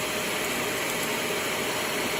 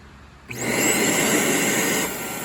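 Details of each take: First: Trash-find Shark Navigator vacuum after clearing a clog and removing debris, switched on: steady hissing airflow with constant motor whine, no choking or surging; suction pulling freely, clog believed to be the only fault. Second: Trash-find Shark Navigator vacuum before repair, switched on: motor spins to a high whine, then tone drops and thins as airflow hits the bypass that protects the motor from overheating when clogged; the hose appears to be clogged.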